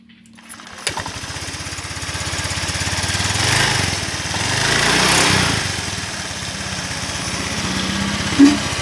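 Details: Honda Vario 125 scooter with a worn tappet suspected: it starts and idles and revs briefly twice, with a quick light ticking over the engine note; a valve train tick.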